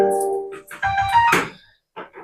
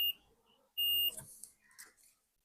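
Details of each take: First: 3055 transistor amplifier after repair, transistors replaced and BC548/BC558 swapped for BD139/BD140: music plays clean and clear with no hum or buzz in quiet gaps; normal amplifier output. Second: 3055 power-transistor amplifier being tested with a multimeter before power-up: brief steady continuity beep among probe clicks showing a shorted transistor; BC548 transistors found faulty and to be replaced.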